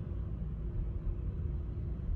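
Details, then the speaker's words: 2019 Chevy Equinox 1.5-litre with automatic transmission, engine light and P0300 code, running rough with the rpm jumping: deep uneven idle that stumbles and surges, a misfire on cylinder four. "so it looks like we got misfires and all of them looks like our current misfire that's acting up is a cylinder number four"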